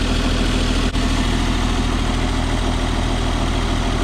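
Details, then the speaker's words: 1994 Isuzu cab-over diesel truck, sat 3 years, now started with fuel additive added: steady even low idle with no knocks or misses, running healthy. "this thing actually sounds good now it's got a mess in it but i also dumped a bunch of fuel additive in that i think that's what helped it"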